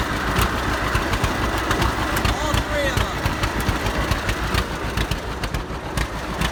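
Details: 70-year-old farm tractor, unrun 20–25 years, after cleaned-up carburetor and solid-state ignition replacing points and condenser: slow, slightly uneven idle with steady low putts; runs fine but still needs tune-up.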